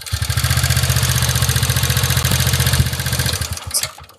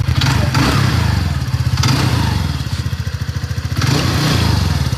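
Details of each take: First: TVS Ntorq 125 scooter, about a month without servicing, idling with a fast, uneven rattly chatter of about three to four beats a second over a low putter before it dies away; abnormal engine noise, cause not confirmed. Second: TVS Ntorq 125 scooter after repair and tuning: smooth, regular low thump at a steady idle with no ticking, clatter or misses. Normal idle, said to run exactly like when new.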